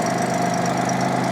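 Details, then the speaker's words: 1987 Jaguar XJ6 engine right after a drilling fix for a common XJ6/XJ12 problem: a steady, even idle with a constant mid hum and no tapping or stumbling. It runs smoothly, though an exhaust leak remains. "Runs like a top. Runs like a sewing machine."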